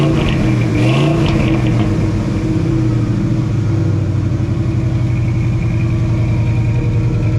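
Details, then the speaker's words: 1968 Ford F250 'Ole Red', 360 FE V8 with headers and one tailpipe straight out the back, choke slightly closed: strong, even rumble that climbs cleanly on throttle without stumbling. Carburetor was adjusted by ear and is running well. "hey hey hey old man that sound like a tuned up engine on it sounds good I didn't put a I just ear chroma nerd it I just put my ear on it and adjusted It Out by ear"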